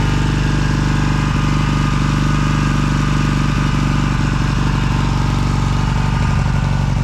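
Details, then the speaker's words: 1982 Honda CB450SC Nighthawk with aftermarket modified Magna pipes replacing backfiring shorty exhaust, first start of the day, cold, in neutral with some choke: steady, even four-stroke idle about four beats a second. Normal cold idle. "I haven't started it today so this will be a cold start"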